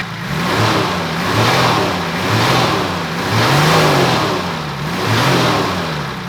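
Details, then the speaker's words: 35-year-old Nissan GQ Patrol TD42 diesel after new injectors and slightly advanced pump timing: revs up and settles in smooth, even swells with a light tappety tick on top; runs clean and healthy. "I actually just went ahead and quickly advanced the pump a little bit more, and I think it sounds really good now."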